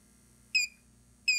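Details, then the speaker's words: Xantrex pure sine wave inverter on a 6-module Nissan Leaf battery pack, voltage raised with a bench supply: chirp at the 31.6 V alarm, then a steady unbroken tone at high battery shutdown near 32–33 V; inverter high battery shutdown alarm. "Okay, 30, shutdown, you see it? Okay, high battery shutdown, 33 volts."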